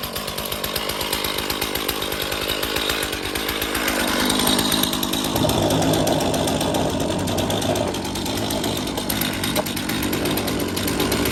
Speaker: I don't know why the chain is so loose. Weird. Really loose. Could hear it chattering away on there.